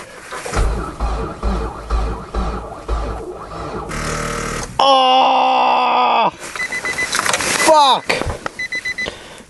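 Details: Nissan Micra 1.6 with manual gearbox, started with the clutch pressed in extreme cold, about -25 to -34°C, after sitting. Sluggish, uneven cranking that drags and slows between strokes without firing; slow crank from a weak battery.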